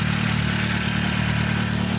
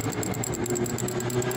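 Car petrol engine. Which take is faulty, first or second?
second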